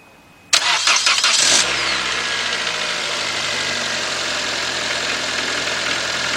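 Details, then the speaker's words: 2006 Toyota Corolla 1.8, complaint cranks but won't start. After replacing blown 20A and 15A fuses, a brief crank catches within about a second and settles into a smooth, even idle. The damaged wiring still needs fixing. "holy cow all right what we're gonna have to do guys is um we gotta fix that wiring over there i'm gonna let it run for a little while to make sure everything is good and then we'll be right back"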